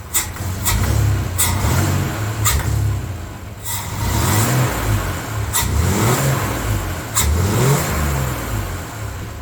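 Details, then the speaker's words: 1993 Chevy S10 Blazer, first start after engine install, EGR removed, low on coolant: revs up and settles in repeated clean blips, no knock or tapping, fires up quick. Normal revving. "Oh, she's running great. I was able to power brake it in the garage, and it lit the tire up immediately. Fires up real quick."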